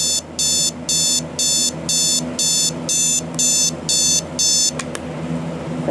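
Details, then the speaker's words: Alarm clock with the beeper on the bottom, alarm just set: shrill beep bursts about two a second, ten in a row, even and regular, then stopping when snoozed; the alarm is sounding normally. "turn the alarm on it'll probably go off in like two seconds"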